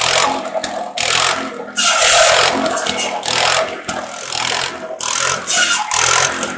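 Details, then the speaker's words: Wisconsin THD engine driving an antique buzz saw through slab wood after mouse nest cleanout: steady drone with blade biting wood in repeated rasping bursts, engine holding speed through each cut; running healthy. "so well i'd say that was a successful test run and uh of the thd wisconsin"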